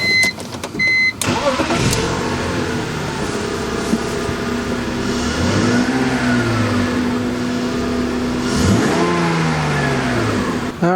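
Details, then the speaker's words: 2000 BMW 323i started and idling briefly with the belts removed: a steady idle with no squeal or scream, just engine hum, which points to the stiff, seized idler pulley. "right so don't hear any more noise so let's go ahead and pop this idler pulley off"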